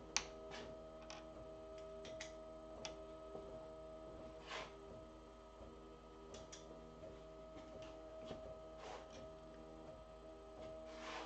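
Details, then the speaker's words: Ultimaker 3D printer running with steady hum, light ticking motion noises and short squeaks as the nozzle lifts each layer with Z-hop enabled: normal Z-hop squeak. "it does have Z Hawk turned on so when it does a layer it will lift so you will hear a little squeak"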